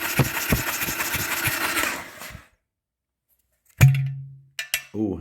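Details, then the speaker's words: 2000 Harley-Davidson Sportster 1200 Custom after six years sitting, cranked on a borrowed battery from another bike before adding fuel: even, unhurried pulses for about two seconds with no binding; the engine turns over freely. "um she's turning over real free so no problems there"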